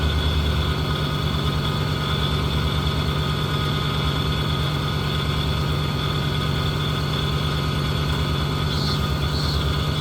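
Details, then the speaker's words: Pontiac Catalina V8 at idle: steady heavy idle with thin constant high whine over it; owner suspects low power steering fluid, cause not confirmed. "so sounds like we need a little staring fluid in there power stand fluid might be low oh yeah big difference so yeah holding your power steering fluid whining a little bit should be all right though"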